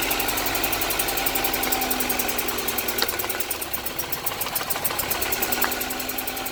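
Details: 1998 GSR engine with a stored code 73 (cylinder 3 misfire suspected): uneven idle with an irregular stumble about three times a second over a thin, hissy engine note; sounds like a misfire, cause not confirmed.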